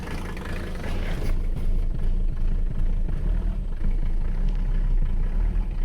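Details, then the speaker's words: Abandoned Mercedes 300CD diesel at idle after sitting: deep, uneven chug with a lumpy, stumbling beat, running on fewer cylinders; owner suspects it needs fuel and may not be building oil pressure; cause unconfirmed. "i think she needs some fuel she's running on less cylinders than she should"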